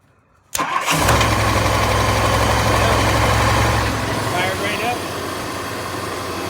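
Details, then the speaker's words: 1964 Ford Thunderbird with a no-crank problem, started by jumping the starter relay with the key on: a short crank, then it fires into an even idle at about four beats a second. Neutral safety switch or column wiring suspected. "starts runs just fine so I'm going to go start case and wiring"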